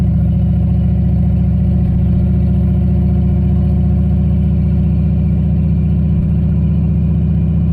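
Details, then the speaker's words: Turbo LQ4 V8-swapped Ford Ranger with On3 2-bar MAP sensor, after disabling power enrichment mode so only boost enrichment is used (it had been stuck in power enrichment): deep, steady V8 drone holding under load without misses, pops or knocks; runs properly now. "So that run seemed like it worked a little bit better. What I did was I effectively disabled the power enrichment mode basically, and so now it's just using the boost enrichment."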